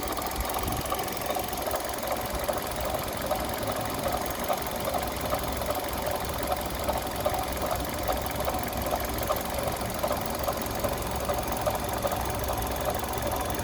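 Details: Kia Rio 3 engine at idle: sharp, regular tapping about three times per second over a steady idle; engine knock of unclear cause.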